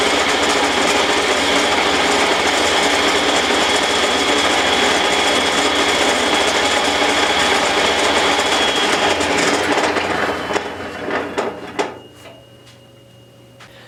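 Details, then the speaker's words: Old Rockwell Beaver table saw motor, first startup after repair of rattling fan and wobbly pulley: steady even hum with light belt flutter, smooth coast-down; much quieter, remaining noise attributed to belt vibration. "I'm gonna call that a success it's much much quieter than it was when I started"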